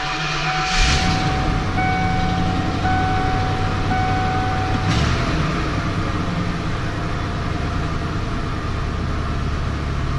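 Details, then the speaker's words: 1994 Ford F150 on a chilly morning (about upper 20s to lower 30s °F) after an attempted exhaust leak repair: steady, low idle, definitely quieter, with no puffing or ticking from the exhaust. "Definitely quieter."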